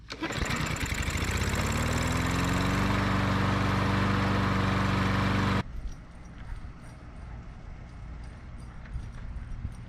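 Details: MTD mower with Briggs & Stratton EX series engine after plastic carburetor repair, fuel line reconnected, test start: single cylinder fires right up and holds a steady, even beat about five seconds before shutting off; running clean.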